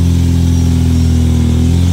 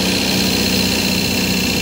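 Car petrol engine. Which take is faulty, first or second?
second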